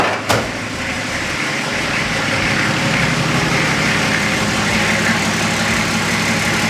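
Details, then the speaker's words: Nissan GQ Patrol diesel, cold start after tightening the two loose top gearbox bolts that had misaligned the engine and gearbox: the starter catches, then a steady, even clatter with no scraping. Runs like a dream; scrape fixed. "She's running like an absolute dream. Best of all, it's not making that absolutely disgusting scraping sound anymore."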